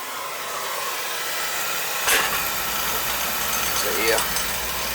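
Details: Beckett oil burner, two-pipe system, on annual service with outside Roth tank low on oil; even, steady hissing roar with no pulsing or rumble apart from two brief bumps; burner fires and runs smoothly, though possible oil issue suspected.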